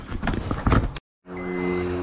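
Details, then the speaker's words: 2009 Honda Accord 3.5 V6 with about 267,000 km, started after a power steering pressure hose replacement to check for leaks. After a second of handling noise, a smooth steady hum with constant tones, no knocks or surging; normal idle. "so car done nearly 300 267 1,000k and the engine still running really good"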